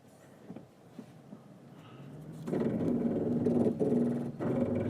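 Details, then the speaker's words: Toyota Land Cruiser 200 Series at a crawl with crawl control (off-road cruise control) active. Loud rapid buzzing growl pulsing about four times a second as the ABS brakes the wheels: normal crawl control brake modulation. "and as you can hear it's pretty noisy it's actually very noisy it's just activating the um well using the ABS function so it's got uh a lot of braking going on"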